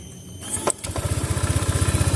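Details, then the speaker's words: Fuel-injected motorcycle after TPS sensor temporary fix for stumbling on throttle: catches on first crank and settles into even idle of about eleven firm pulses per second; throttle response normal again. "posisi langsam kalau tadi langsam seperti ini normal jadi kita akan langsung tes kita gas langsung normal"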